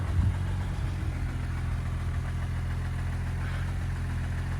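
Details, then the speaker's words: 1966 Jaguar XKE Series 1 2+2 idling after a short drive at about -20 wind chill: smooth, steady low idle, even beat, no knocks, ticks or misses; engine sounds really nice, normal idle. "it is a good driving reliable vehicle um the engine sounds really nice it shifts through the gears well"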